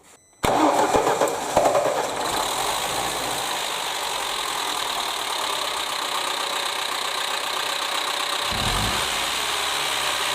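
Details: Lada Niva engine, security-company car with very high mileage, constant idling and likely late oil changes, idling with a rapid top-end clatter from worn camshaft lobes and rockers, one rocker with nearly 1 cm play, before camshaft replacement.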